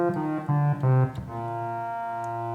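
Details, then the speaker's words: Prophet 5 Rev 3 synthesizer during restoration: held note cuts in and out with crackling as voice filter dies at section B output; failed 150 pF polystyrene filter capacitor, confirmed by swapping, fixed by replacement. "basically the logic that we used was okay it's dying on the output of B and then there's a capacitor for B"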